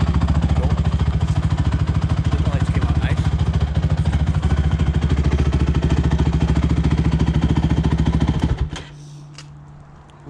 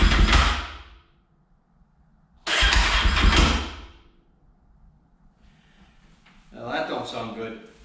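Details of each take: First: Rebuilt Honda TRX450ER ATV after a ride up the street through all the gears: strong, even exhaust thumping holds steady under load, then drops to a calm idle. The engine runs healthy after the rebuild. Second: Rebuilt Honda TRX450ER on first start, with a new fuel line and carburetor O-rings leaking gas: it catches in short, uneven sputtering bursts that die between tries instead of settling to idle. Rough start; cause unconfirmed.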